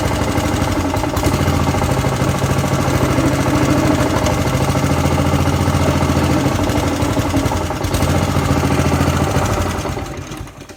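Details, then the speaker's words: Pubert wheeled brushcutter with Honda GCV160 four-stroke engine, after repairing a broken exhaust valve rocker arm that caused low power, plus tappet adjustment and oil change: smooth, even thrum at steady speed, then winds down; sounds like a normal engine again. "Ahora suena como suena un motor de estos normal."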